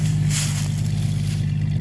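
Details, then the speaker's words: 1992 Jeep Cherokee XJ with no catalytic converter and stock muffler: deep, steady exhaust rumble with a short rev, louder and throatier than stock. "I like this sounds like the no cat and stock muffler sound receipt them it's Wyatt but have a nice nice like Rumple to it"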